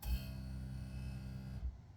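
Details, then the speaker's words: Air Lift Wireless One onboard compressor for Air Lift 1000 rear air bags on a 2012 Toyota FJ Cruiser, engine off: small pump hums about 1.5 s raising pressure from 22 to 23 psi, then stops cleanly; normal fill cycle. "You hear the air pump kick on, and it pumped it up to 23."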